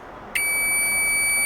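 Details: Cheap Chinese multimeter after its continuity buzzer was replaced with a microwave oven buzzer: sudden loud, steady high-pitched beep holding evenly; much louder and clean.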